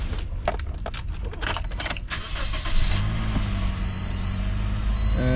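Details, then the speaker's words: 2012 Toyota Corolla S after replacing all ignition coils and spark plugs for misfire code P0301 cylinder 1: keys rattle, engine starts at once and settles into smooth, steady idle, running fine. "beautiful. Beautiful. Nice. That was perfectly fine."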